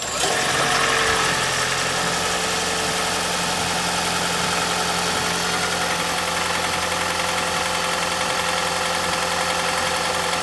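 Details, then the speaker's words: 2010 third-gen Toyota Prius at a cold morning start, mic under the hood: busy idle with steady injector ticking and even firing, and no death rattle. The severely clogged EGR system was cleaned; the engine sounds healthy. "it's going to make a lot of sound because you're right underneath the hood but it's not going to make that death rattle"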